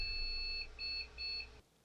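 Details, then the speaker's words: Cisco PIX 520 firewall (Intel motherboard, Pentium II) booting: three identical two-tone beeps about half a second each, repeated, then silence; a boot loop of unknown cause. "round two no floppy turned it on does the same alarming beeps when it starts up"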